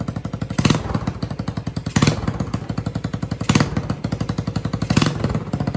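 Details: Yamaha 225DR Tri-Moto under restoration, cold, choke given by hand: single-cylinder putter firing at a quick, even beat with a louder surge every second and a half; engine running after work, though rear swing-arm bearings are worn out.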